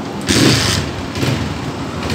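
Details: 2018 Honda CG 125 single-cylinder motorcycle after repair for missing and backfire: settles into a fairly even, steady idle after a brief blip, no stumbling or missed beats; missing resolved.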